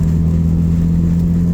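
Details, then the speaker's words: Petrol engine after replacing two injectors and the ignition coil pack: pulls with a steady, even low hum, no stumble, popping or break in rhythm; hesitation and misfire gone; smooth running with no misfire or hesitation. "so the hesitation mishap all that's gone so between the two injectors and the ignition coil pack I think we got it all taken care of"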